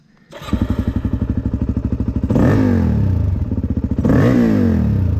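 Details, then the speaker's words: Freshly rebuilt Suzuki DRZ400 pulling through the gears: light metallic tap-tap-tap over the exhaust beat, heard in gear, rider first guessed a broken ring; source unknown, stopped after restart. "I can hear a metal tap, tap, tap, tap, tap. Oh, no."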